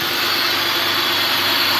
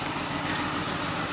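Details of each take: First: 2002 BMW 525i after replacing the two bad ignition coils behind the cylinder 2 and 4 misfire codes: steady, even idle with a smooth hum and no stumbles; engine now fires cleanly on all cylinders. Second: 2002 BMW 525i at idle, check-engine light on: lumpy, rough, uneven beat with the odd stumble; scanner shows misfire on cylinders 2 and 4, suspected failed ignition coils.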